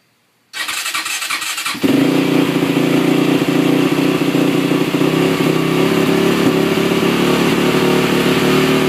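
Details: 2008 Honda TRX450ER single-cylinder starts when cold, then holds a fast, rough, uneven idle even with the choke off; after shut-off a restart brings a loud noise and stall, and the owner suspects something slipping when starting.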